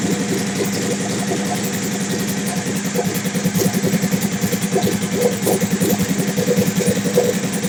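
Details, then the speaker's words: Suzuki TL1000R with big turbo and 560cc injectors, Power Commander grounded to battery, during idle tuning: even, slightly lumpy idle around three pulses a second with small rev blips, no knocks or rattles; owner happy, healthy settled idle. "all right I'm happy with what I'm seeing here okay I'm happy with what I'm looking at"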